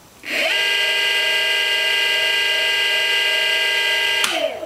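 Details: Golden Motor BLT-650 hub motor (650W rated at 48V), unloaded spin-up on a 15S pack, drawing about 1.1 A: clean rising whine settling into a steady high hum, then a smooth wind-down; healthy no-load spin.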